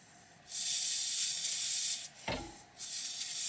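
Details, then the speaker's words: Old air hose reel: loud steady hiss starts when reel is moved, drops briefly and returns, coming from inside swivel hub not fittings; air leak past swivel O-rings, fixed by replacing O-rings (size 112). "Yeah, you can hear the leak. Yeah, you can hear it's not from these fittings right here. It's inside."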